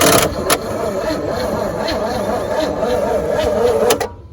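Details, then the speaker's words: 1963 one-ton truck that has sat in a yard a long time: steady cranking with even pulses for about four seconds, never catches; coil reads only 0.4 V with points open instead of 12 V on both sides, no spark, dead ignition coil. "It's only 0.4, so the coil can't be working then. because it should be 12 on both sides."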